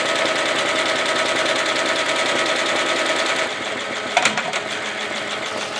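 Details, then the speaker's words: Embroidery machine stitching a small half-inch font on a tote bag: fast even stitching chatter around three per second, then a pitch change and a sudden jolting clunk; the machine always jerks like this on fonts, cause unknown. "And can you hear it, that little jerking? It always does it when I do fonts. I don't know why it does it."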